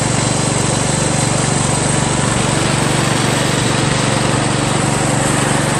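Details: Craftsman LT1000 lawn tractor after new drive belt install (owner unsure it's the right belt), first test drive around the block: steady even single-cylinder drone at constant speed, a bit loud but no misses or knocks; running normally.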